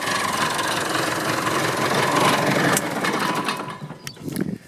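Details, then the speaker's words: Massey Ferguson 265 tractor diesel after new radiator fitted; fast uneven clatter about four beats a second from the front until shutdown; owner suspects failing water pump, visible movement checked, new pump needed. "In the law of sod, what I didn't realise when I changed the radiator is the actual, I think the water pump's on the way out."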